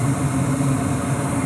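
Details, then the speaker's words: Lennox Elite Series furnace, year unknown, at startup: steady low hum with a soft burner roar and no rattle or bearing whine; inducer motor and burners running well, main blower not yet on while it warms up. "the main blower isn't on yet because you know it has to warm up but there's the burners going very nice swings"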